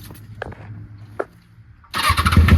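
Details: Kawasaki ZX6R after a new fuel pump, new plugs, cleaned intake, fresh gas and injector cleaner: quiet clicks, then a loud busy starter churn with no firing rhythm; cranks but won't start.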